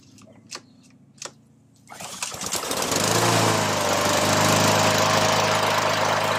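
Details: Troy-Bilt mower, Honda GCV160 engine, after servicing a clogged Keihin carburetor: two pull-cord rattles, catches on the next pull and settles into a steady, even run; normal start after carb service.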